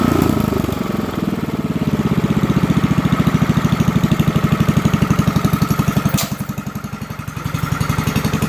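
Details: Lincoln Weldanpower 150 AC generator/welder (owner guesses 1964), repaired after no-spark caused by magnet rubbing coil (new coil, condenser, plug, wire, fuel line, filter, points reset), at idle: steady even single-cylinder thumping, no misses or scraping. Normal idle.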